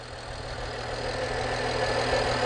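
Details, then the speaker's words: BMW 335i E90 engine warming up at idle during a used-car inspection; steady, even, smooth hum with no shaking or misfire, a normal warm-up idle. "You're looking for shaking, lots of shaking. That's a sign of a misfire. This engine looks good."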